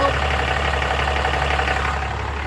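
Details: Diesel engine idling right after an oil and fuel filter change, no leaks at front, rear, oil canister or drain bolt; even, steady idle with a smooth low rumble and no knocks, misses or ticking: normal healthy idle.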